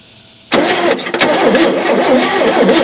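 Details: 1973 Chevy C10 squarebody, not run for 27 years, spun over with the distributor cap off after cleaning the points to check that the coil fires: quick, even starter cranking with no firing. Cranks, won't start; coil fire then restored.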